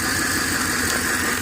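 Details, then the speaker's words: Ford Explorer 4.6 V8 with code P0308: steady, slightly rough, uneven idle. Pulling the cylinder 8 coil wire causes no change in idle speed, confirming a dead cylinder 8. Cylinder 8 misfire. "we're going to pull this wire on the coil and I'm going to show you there's no change in the engine idle or speed and that's one way you can find out right off the bat which cylinder is is missing"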